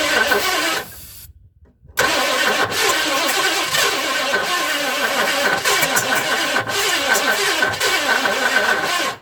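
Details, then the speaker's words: 1958 Edsel revived after its engine was unstuck, first crank on key with spark before the Edelbrock carb goes on. Rough irregular chugging in short bursts that die away; owner suspects timing is way off. "let's see i got some spark come on [Music] chug you heard it"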